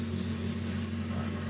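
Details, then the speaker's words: 1994 Toyota Corolla small body with an intermittent hard start that sometimes stalls, fuel pump suspected: an even, steady hum held slightly above normal idle with no misses; a normal cold fast idle while the coolant warms up, expected to drop. "ito normal lang yan dahil Pinapainit niya pa yung tubig so magbababa na lang yan"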